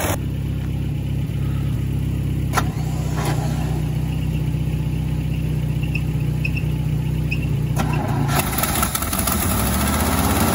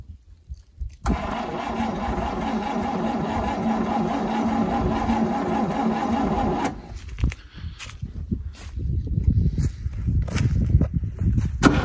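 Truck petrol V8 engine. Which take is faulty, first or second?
second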